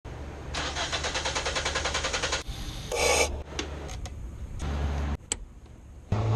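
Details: Starter churns evenly for about two seconds before the engine catches on a 2006 Nissan Sentra 1.8L with no power and rough idle; extended crank pointing to a weak fuel pump, replaced as the fix.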